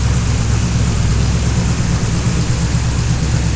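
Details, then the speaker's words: LS-swapped third-gen V8 on a basic Holley startup tune, not yet dyno tuned, after fitting a new alternator: deep even V8 rumble on all 8 cylinders, no alternator squeak; normal running. "Sounds a lot better with no squeaking. And it sounds a hell of a lot better on all 8 cylinders."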